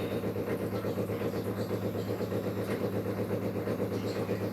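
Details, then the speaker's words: Brastemp 16 kg washing machine about one year old: loud fast even buzzing drone with steady low hum during the first part of filling, then stops; owner suspects the water pump failing, not confirmed. "Esse barulho tá ficando até um certo período do enchimento depois que enche um pouco o barulho passa mas fica bastante tempo"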